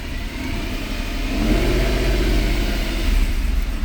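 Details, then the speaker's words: 2010 Mercedes E63 AMG with a long-running misfire problem: revs rise from idle toward 1500 rpm, where the note turns uneven and stumbling. Cam signals stay stable until the bank-one misfire sets in and the car goes into limp mode. "very stable until it starts misfiring and limp mode."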